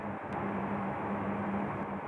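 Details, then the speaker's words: Argo Milo Plus portable heat pump air conditioner, just switched on at 7:15 am, 8 °C outside, room 18 °C, set to 22 °C: steady low hum with faint constant tone near 200 Hz, no knocks or rattles; running normally. "ecco intanto vi faccio vedere sentire anche se si sente il rumore che fa la pompa di calore della mattina si sente un po di più perché l'ambiente molto più silenzioso"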